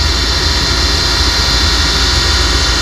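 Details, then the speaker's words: Old Ruud furnace with no heat: loud rough roar with low rumble and harsh rushing on firing up; inducer sounds bad, furnace in poor condition, gas valve also to check. "okay we can put her back in this thing does not sound great guys um"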